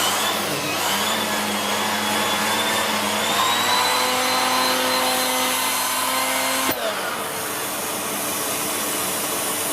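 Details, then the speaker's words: Siemens Z6.0 Power 2500W bagged cylinder vacuum with its mini turbo brush cleaning a chair. Steady high whir holds speed against the suction roar without sagging; the brush spins quickly and freely, normal running. "good very good little lettuce that really does spin quickly and doesn't slow down either"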